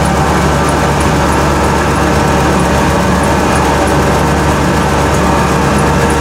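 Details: 1991 Ford F-150 300 straight six, cold start in winter: loud, raw steady rumble at cold idle with harsh open bark; exhaust missing, owner suspects possible exhaust leak.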